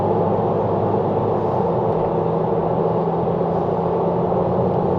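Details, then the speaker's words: BMW 330d GT during pre-purchase check drive: loud steady rolling roar in cabin coming from tire tread; car also pulls to the right. "vous voyez bien ce que je vous disais vous entendez bien le bruit de la bande de roulement le bruit ça vient des pneus"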